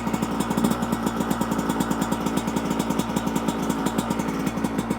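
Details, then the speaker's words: 2024 Yamaha YZ125 two-stroke after carburetor jetting changes (main jet 162, pilot jet dropped to 55), on choke: quick, even popping idle holding a steady pace; sounds better than the previous crazy-high idle. "that sounds better before the idle was just like crazy high even though I was adjusting"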